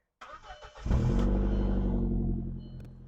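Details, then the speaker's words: B5 Audi A4 after a new accessory belt was fitted and a belt slipping off the AC compressor-area pulley was pushed back on: starter whirs, engine catches cleanly to a smooth even idle with no squeal or chirp; sounds better than before. "okay I think it sounds better than it used to oh yeah spinning super nice"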